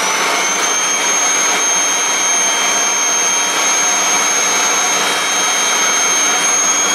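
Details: Kirby G6 vacuum cleaner, unserviced for years, after service and reassembly, switched on in drive: loud steady high whine holding one pitch, no grinding or surging; motor runs smoothly.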